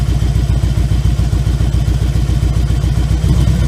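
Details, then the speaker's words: 2000 Harley-Davidson Electra Glide 88 cubic inch, warm: a lumpy idle on one cylinder, with the second firing only occasionally and both firing with choke; weak low-speed circuit from a clogged pilot jet, which idled fine on both cylinders once cleaned. "You can hear it's only running on one cylinder. So you can hear it running on one cylinder right now. The second one occasionally kicks in."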